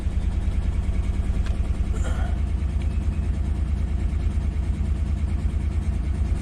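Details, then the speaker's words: 2013 Chevy Tahoe ex-police LS V8 idling deep and uneven with an unsteady lope; codes show multiple-cylinder misfire, throttle position sensor, and cylinder 1 and 4 deactivation. A bad DOD lifter is suspected, and oil pressure is good. "let's erase all those codes and let's check them again see if they're still there multiple cylinder throttle position sensor cylinder 1 deactivation cylinder 4 deactivation"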